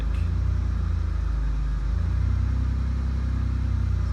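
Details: 2002 Pontiac Grand Prix started after ignition switch replacement: engine catches and settles into an even low rumble with steady firing, no misses or knocks; healthy idle.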